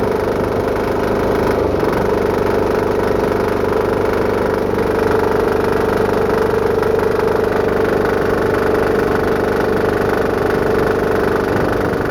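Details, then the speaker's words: Home-built diesel air compressor at full throttle after new belt install, warming up, pumping toward 80–100 PSI: steady diesel drone with loose, irregular slapping about twice a second; drive belt flapping on pulleys but staying on. "I like to run it on Full Throttle so that way it will engage the clutch the most so the clutch doesn't slip the Bel still Flats a lot but it's not Flo off yet"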